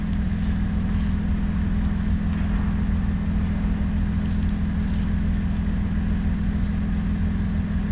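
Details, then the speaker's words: Vehicle running at steady revs with a loud, deep, raspy, unmuffled drone as exhaust blows out through a broken exhaust pipe. "Ito yung tunog ng Tambucho"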